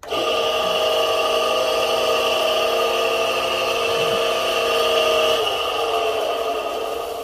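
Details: Repaired kite-line winding machine driven by a washing-machine motor, dusty reel loaded, winding test: steady electric hum with smooth even whir, no knocking or scraping; normal running.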